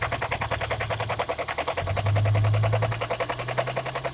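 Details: 2002 Toyota Prius with P0300–P0303 misfire codes: uneven, lumpy idle stumbling about three times per second over a low drone. New plugs brought no change and the injectors tested OK. The owner suspects a cracked ignition coil pack on cylinder 4.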